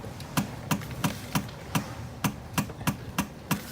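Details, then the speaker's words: Eagle Talon AWD turbo GSX just after a starter replacement: sharp dry ticks about three a second, engine not turning over; the starter makes noise but won't crank, cause unconfirmed. "That noise coming out of the starter, but it's not fucking clicking."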